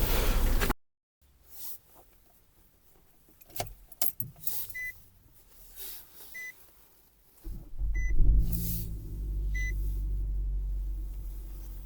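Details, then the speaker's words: 2018 Nissan Rogue with CVT, cold winter start: a few door chimes, then the starter catches and the engine settles into a smooth, quiet, steady idle without droning; the engine runs normally. "ძრავის ხმა არ შემოდის ძაან არა აქვს რაღაც გუგუნის ხმა ნორმალურად მუშაობს ძრავი."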